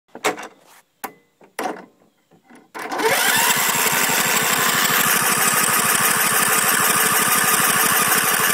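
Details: Husqvarna LTH140 lawn tractor with Kohler engine: starter clicks then spins engine steadily, never catches or fires; crank no start, owner says it needs a coil.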